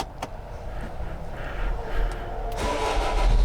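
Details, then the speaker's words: 2006 Opel/Vauxhall Vivaro diesel, jump-started after an alternator replacement, with the battery light now off: it cranks, catches and builds into a deep, steady clatter; normal start. "it all sounds plug the world to see anything from here but it all sounds good"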